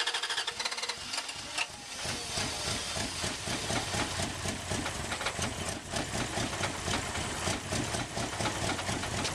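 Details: Wood gas truck engine with new automixer: steady rapid chuffing cranking several seconds before catching; wood gas slow to come back, failed cranks attributed to bad gas quality, mixer not yet fine-tuned.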